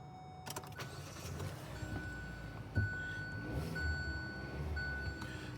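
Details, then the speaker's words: 2017 Hyundai Elantra with a no-crank, no-start fault, battery 12.65 volts, starts after the start relay was replaced: brief crank and catch, then a quiet, even idle under a steady chime; normal engine start. "So the car was not starting. I just replaced the start relay, and the car is starting now."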